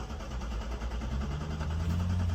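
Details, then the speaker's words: 2016 Cadillac ATS that died and would not restart, battery found flat then charged: even starter churn with steady compression pulses that never catch, cranking for a long time without firing. Crank no start. "We are cranking cranking for days, man. We got nothing."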